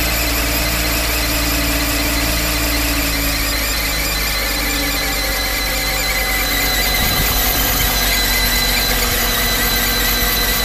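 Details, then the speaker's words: Mercedes SL500 R129 V8 just started after throttle actuator learning, idling with a steady high-pitched squeal; a belt squeal, source being checked, possibly water pump, air pump or alternator area. "oh hello quite squeaky are we the belt squeal a little"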